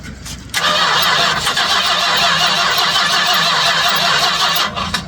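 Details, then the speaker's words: 1967 Chrysler Newport, sitting for years after a barn pull: the starter churns about four seconds with a faint stumble on the fuel squirted down the carb, but it never catches. The clear filter shows no fuel being pulled from the tank; the fuel pump is in question. "It's going to take a minute to prime some fuel up there. I'm looking at the clear filter I put on there though. She's not pulling any fuel."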